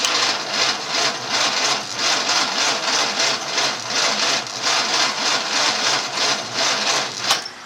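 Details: 1954 Studebaker sedan, 6-volt system, 1964 259 V8 with 6V starter, cranked by remote switch before cable upgrade: laboured whirring crank with slow, uneven compression pulses every couple of seconds; starter starved by undersized battery cables.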